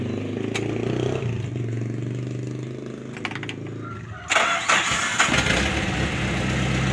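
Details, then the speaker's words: Suzuki Carry Futura fuel-injected van, previously hesitating and stumbling on sudden throttle: after throttle body and sensor service, engine picks up cleanly on each blip and settles back without stumbling; throttle response now normal. "jadi Alhamdulillah sekarang sudah bisa dikatakan normal gasnya setelah kita servis Turtle body maupun sensor-sensornya"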